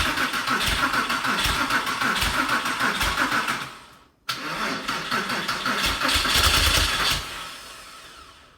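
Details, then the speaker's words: Porsche 911 (996) first start after 4-year restoration and engine reinstall: starter cranks steadily at about three beats a second through two long tries but never fires; throttle body connector had been left unplugged. "So after cranking and re-cranking the car, it just wasn't starting at all, which is very unusual because this car always runs very well."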